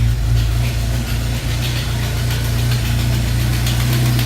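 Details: Jeep that died at the gas station and wouldn't start, owner suspecting the fuel pump; ASD and fuel pump relays bypassed with jumper wires. Steady, even low rumble at idle with no misses or knocks; it starts and runs normally.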